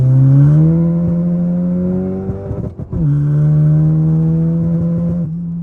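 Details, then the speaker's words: MK7 VW GTI at full throttle in second and third gear across the RPM range: strong rising pull, then a sudden stumble and drop before it picks back up. Fuel cut at wide open throttle, cause unknown. "when I was full throttling it in second and through third gear throughout the RPM range I was getting some fuel cut offs some little sputters or whatever on Full Throttle"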